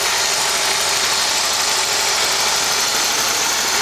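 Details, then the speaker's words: Holden VP Commodore parts car with column-shift auto, just started. Steady, even idle with a faint quick injector tick and no knock or miss, running well and sounding healthy. "Give it a start. Runs [Applause] well. Hear the injector."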